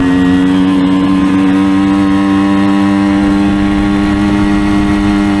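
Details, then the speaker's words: 1975 Suzuki TS125 Duster two-stroke after carburetor cleaning and reassembly, float valve refitted: loud, steady buzz revving clean through the RPM range, mechanically quiet with no rattles or vibrations; possibly still burning off excess oil from long storage. "you can hear the engine is mechanically quiet no rattles VI ations nothing like"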